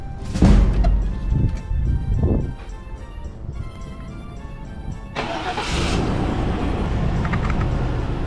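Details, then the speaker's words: Car in for a no-start complaint: repeating warbling electronic alarm tones, which sound like a 90s alarm, then the engine cranks and catches; the anti-theft alarm is sounding around a start attempt. "Does that thing have an alarm? Sounds like it. Sounds like a 90s alarm."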